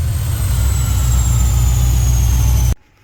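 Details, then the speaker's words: Car with Holley Sniper EFI on dyno, wide-open throttle pull; loud steady strong even drone, no misses or knocks, clean cut; runs well though showing blow-by and burning some oil, tire slipping. "So you can hear the car's running good, but I don't know if you guys are able to see."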